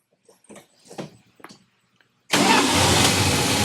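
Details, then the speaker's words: 1966 Plymouth Fury II after charging-system work and tinkering: a few short sounds, then the engine catches at once and settles into a strong, clean, even idle. Normal cold start. "Oh, she started up like a dream. Give her a little throttle."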